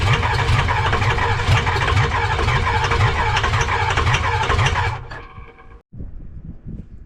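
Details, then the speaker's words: 6.0 Powerstroke diesel swapped into a 2005 Ford F250 (gas-to-diesel conversion, no turbo), first start attempt: starter cranks about four turns per second with no firing; suspected FICM fault or low compression. "All right, so it looks like it doesn't want to turn on. It wants to turn on, but it doesn't want to turn on, which it's either one or two things, either the ficum or we're not getting any compression."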